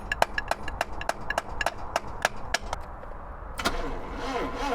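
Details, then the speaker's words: 1977 Triumph Dolomite with a fully charged battery after cleanup and rewiring: sharp, regular clicks about three a second with no cranking. The starter is suspected to be failing, not confirmed. "okay right so the starter is on its last legs I think is what's happening there it's not spinning the engine very quickly at all"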